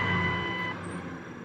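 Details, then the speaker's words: 2000 Ford Expedition 4.6 with 305,000 miles, idling after replacing a bad idler pulley that caused a high-pitched whirling squeal: steady even hum, no squeal or chirp, normal idle. "oh wow sounds great no more noise yay 305 000 miles in this baby still going"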